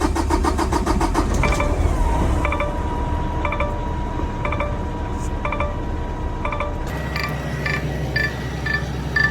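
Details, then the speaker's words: 2021 Kenworth T680, Paccar MX13, after a new compressor discharge line and air dryer (old dryer inlet was carbon-plugged): the diesel idles steadily with short hiss bursts as air builds from 84 psi past 100 psi; charging normally. "So far so good. I like that. Got to wait for the air to build up. Got to at least get above 100."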